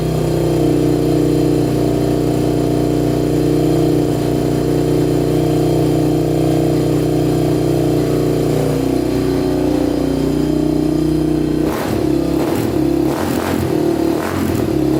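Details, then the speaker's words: 1987 Honda TRX250X quad, carburetor with 38 pilot and 120 main jet, first start: runs fairly steadily then uneven and popping, hollow note; owner suspects lean running, plans to go to 135 main and possibly a bigger pilot. "well she started started right up no problem sounds like she's running a bit lean though so we might have to up the main and possibly the pilot"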